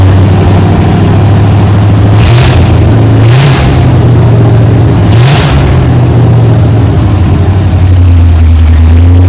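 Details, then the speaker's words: Junkyard 1969 Chevy C10 small-block V8, new down pipes, no mufflers yet, idle set somewhat high: deep loud rumble rising and falling through blips with no rattle; normal revving. "Sounding pretty good. I got to get some mufflers on it."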